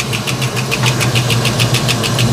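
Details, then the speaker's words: 1989 Mustang LX 5.0 V8 at idle soon after first start in about three years: fast, sharp metallic ticking, roughly six clicks a second, over the idle. Source unlocated; it later faded away. "what is that racket I I just I'm gonna have to get a stethoscope dies or a piece of pipe and try to listen to this thing"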